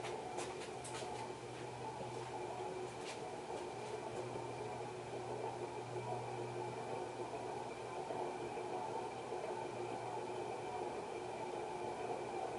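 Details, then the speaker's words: 1991 HRS model L-356 industrial ceiling fan, cast iron motor with aluminum blades, running on a variable speed control turned up toward high: steady droning hum with a rough, gritty whirr underneath at constant speed; worn bearing noise. "And we'll shut it off. Get you the bearings. Pretty bad, huh?"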